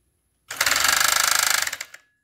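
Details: Chinese FN2 7D overlock sewing machine making very loud noise while sewing: about 1.5 seconds of hard, fast, even hammering, roughly 20 blows a second, like a drill on a wall. Owner wonders about thread tension; cause unknown.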